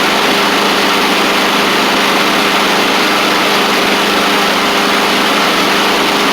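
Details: Husqvarna push mower with a Honda GCV160, after the baffle, likely being hit and causing the knocking noise, was pulled back. Runs steadily at governed speed with an even hum and no knocks or clunks left. Normal running.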